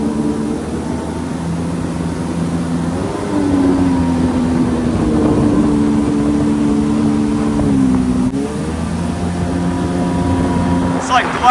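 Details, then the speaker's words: 1996 Yamaha WaveRunner III two-stroke after jet pump replacement (old salt-damaged pump cavitated), started with a little choke on a cold lake: smooth, even drone rising and falling cleanly with throttle, no stumbling or surging; runs strong. "I started this thing up like yesterday so I think it should start but we give it a little choke anyway all right that's that's [Music] good much better much much"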